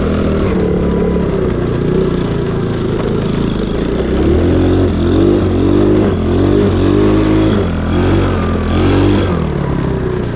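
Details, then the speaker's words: Cheap Chinese mini quad after a swap to the cheapest eBay big-bore engine; exhaust possibly not fully connected, and the owner suspects too little fuel. Revs climb in bursts but stay flat and choked near the top; bogging at high revs, cause unconfirmed. "I don't know if cuz the exhaust is not fully connected or what it sounds like to me it's not getting enough fuel but maybe it is I don't know"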